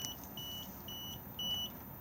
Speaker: If I press it at the moment, it is going to beep at us because we're not connected